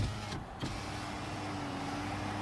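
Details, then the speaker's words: 2010 Toyota RAV4 driver's side power window, before silicone grease in the tracks: it moves slowly with a steady motor hum and a faint rubbing drone. Noisy window from dry run channels. "You can see it's kind of slow, kind of makes a little bit of noise."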